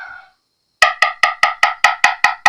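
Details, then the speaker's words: 1980s Fernandez Les Paul fretboard inlay just repaired after coming loose: nine crisp, evenly spaced taps about five a second, bright woody click, no rattle or buzz; inlay seated solid after repair. "And okay, well, here's the crux of it. This one I just fixed."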